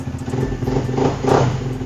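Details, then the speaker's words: Used classic-style motorcycle, about 14,000 km, full original body, engine never modified, just started: a steady, even low patter with no knocks or rattles; engine smooth, normal idle. "Kita coba nyalain, bismillah. Mesin juga masih halus, masih ciri khas."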